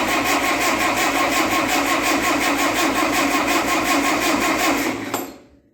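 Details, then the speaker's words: 1958 Oliver 550 diesel tractor, after reassembly, cranking to prime the injector lines. The starter churns in an even beat of about three per second with no firing: fuel isn't yet reaching the injectors in sufficient amount. "I was starting to get a little tiny bit of mist coming out here which means there's some fuel getting to the injectors now but not enough to fire it"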